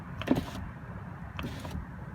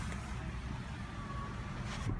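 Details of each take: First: Driver's power window: two soft switch clicks at the second detent with no motor run, so auto-up fails while auto-down works; auto-up calibration lost, fixed by rolling the window fully up and holding the up switch. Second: Passenger power window on auto-up, shown for comparison with a driver's window that has lost its auto-up calibration: a soft, steady motor hum with no stalling or strain as the glass travels fully up, normal operation.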